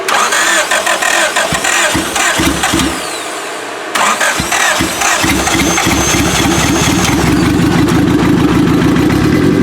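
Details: 1995 Acura Integra LS turbo B18, forged pistons and rods, block guard, aftermarket cams, new head gasket, first start; stumbling crank then lumpy uneven idle, some cylinders seemingly not firing, cause unconfirmed: engine misfire.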